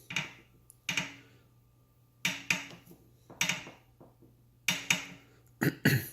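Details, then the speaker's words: Brand-new 2018 Wahoo Kickr indoor trainer on its second ride: sharp creaking clicks in bursts every second or two from the flywheel, louder when warm; cause was a slightly undersized flywheel key, bolt must not be overtightened. "this is actually the second ride that I went on this machine, and both times the noise came up. It is louder when the machine is warm."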